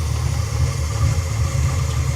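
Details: 1989 Ford Mustang GT Foxbody V8 at idle, oil filler open: deep, rough rumble with heavy chuffing pulses; blow-by so severe it splattered oil under the hood.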